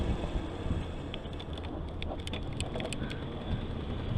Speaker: And you can hear that clicking again as the hub tries to downshift, and I had to briefly stop pedaling there.